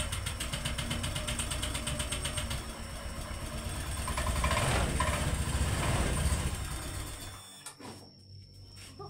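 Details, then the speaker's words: Honda Vario 125 (old model) that is hard to start with a heavy kick starter and a battery that drops: the starter churns slowly and the engine never catches. Pulser pickup checked fine, so low compression from a blown head gasket or leaking valve is suspected. "jadi kita juriga di bagian parking head yang jebol atau klep yang bocor karena kita tes bagian engkol itu tidak ada kompres presinya."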